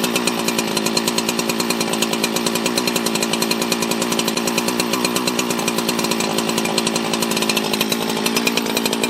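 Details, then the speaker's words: 24-year-old Husqvarna 365 chainsaw revived from junk, just after first start post-reassembly: crisp, even high-revving two-stroke buzz, steady firing, no misses or stumbles; a very good running saw. Healthy chainsaw running. "my god my god what a good running saw i didn't do anything to it"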